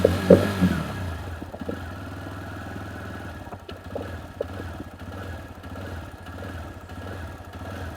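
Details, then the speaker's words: TVS Raider BS6 single with missing and a starting problem, power symbol showing on the meter: spark tester shows steady spark, yet the idle has uneven beats and skipped, lagging strokes. "Spark जो है बराबर है, लेकिन आवाज का जो stroke देखिए, stroke कभी कभी लैग कर रही है।"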